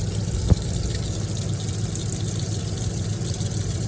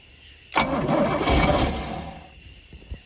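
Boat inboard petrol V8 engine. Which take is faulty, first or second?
second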